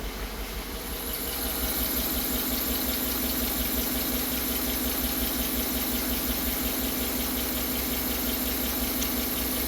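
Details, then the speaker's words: 2009 Chevrolet Tahoe V8, about 250,000 miles, P0300 misfire with low compression but passing leakdown: idles with a steady lope, about three uneven beats a second; noise comes and goes, suspected lifter scraping cam, possibly worse when hot. "I mean, you obviously hear the misfire. The noise kind of comes and goes."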